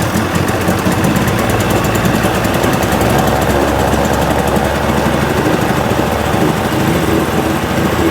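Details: 1980 Chrysler 45 hp outboard, after the crank-no-start complaint, running at a smooth, steady fast idle with an even buzz and no knocks or misfires; responsive, nothing found wrong.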